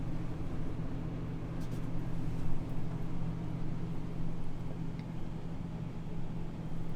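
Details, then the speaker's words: Second rooftop AC on a 2021 Jayco Pinnacle 37MDQS RV, fan only on low, mic close to the ceiling near the return ducts. Low, steady hum with a soft, even whoosh, no rattles or squeals; normal fan operation. "right, so that kind of gives you an idea of what it sounds like just with the bare AC fan running there on the low speed."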